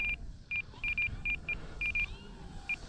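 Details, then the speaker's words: E-flite T-28 Trojan 1.2 m RC warbird (3S/4S) flown on a windy, crosswind day: short sharp high beeps repeating irregularly, some in quick pairs, following the throttle, from the transmitter's timer tone, which can be set to inhibit. "all right oh we got to get rid of that beeping sound all right you hear that constant beeping with your throttle"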